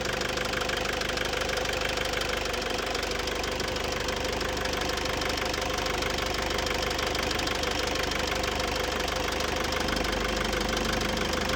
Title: Hard start problem fixed